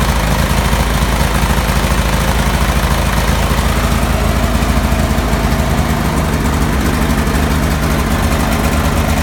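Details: Cub Cadet 3184 with a Kohler CH18 18 hp twin: loud fast chugging idle with an uneven, lumpy beat under the steady thrum; rough idle, cause unclear.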